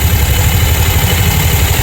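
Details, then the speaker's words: Scooter at idle with no belt and the starter bendix reinstalled: rough, gritty grinding steadily over the idle from the bendix rubbing on the flywheel, not a bearing; the sound vanishes when the push start is pressed. "Kasi sumasabay na yung flywheel dun sa Bendix. So mawawala talaga yung tunog."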